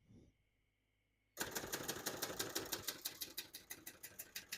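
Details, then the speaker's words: 1970 Hermes 3000 portable typewriter, typing on single line spacing: crisp, clean, even keystrikes about three a second after a pause; no keys skip or stick, working fine. "you can see, all the keys type nice and none of them skip or stick."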